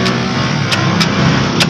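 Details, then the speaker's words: 1992 Toyota Corolla small body, key to start: sharp single clicks, about five in two seconds, no cranking; starter solenoid clicking only. "guys kitang-kita naman o rinig naman sa video ah lumalagitik lang"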